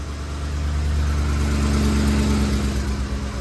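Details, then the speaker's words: 2010 Ford F-150 5.4L 3V Triton after fixing a roller follower tick: smooth, steady idle with an even beat and no ticking on top; normal idle after repair. "Everything's back together, nice and dry. Let's see how she sounds. Much better already."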